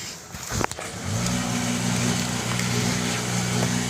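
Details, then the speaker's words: Toyota Vios with hard starting, after testing and replacing the check valve regulator: short crank, fires straight away and holds a smooth, steady idle with a slight rev; now starts cleanly. "good okay na okay na Ayos na yan Okay na hindi na starting"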